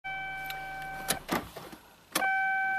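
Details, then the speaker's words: 1997 Toyota Celica convertible, 232k miles, key on, coolant full: steady electric fan motor hum broken by a few clunks; radiator fan runs constantly whenever the key is on, with no fault codes stored. "so with the key on fan is definitely on"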